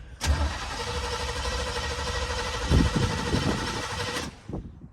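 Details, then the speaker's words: 1950 Plymouth Deluxe, off the road 23 years, cold-blooded, stalled while driving: starter spins steadily about four seconds with a few weak catches but never runs; owner thinks it's out of gas. "what's wrong I think we're out of gas"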